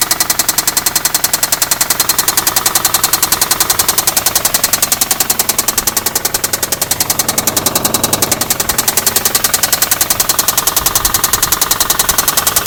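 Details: 2004 Infiniti G35 that developed a lifter tick; the shop found extensive gold-colored metal shavings in the oil, and 1000 miles after repair: sharp, very regular metallic knock at about two and a half per second over the idle; heavy internal knocking, cause unknown.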